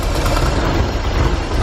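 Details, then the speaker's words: Porsche 944 sitting 10 years, starting fluid sprayed into air-flow meter: brief steady low rumble as engine catches; spark present but fuel system delivers no fuel, runs only on starter fluid. "awesome we have spark yeah there we know we just don't have fuel cool ten years a little bit of starter food and she fired right up"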